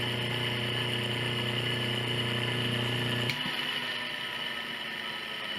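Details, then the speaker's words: Washing machine motor noisy during spin, removed with belt off and run unloaded on the bench at high speed in spin direction: steady rough whir with dry hum under it, then winding down; worn motor bearing. "Veja que já podemos ouvir barulho de rolamento. Isso aqui está leve, está fora da parte mecânica."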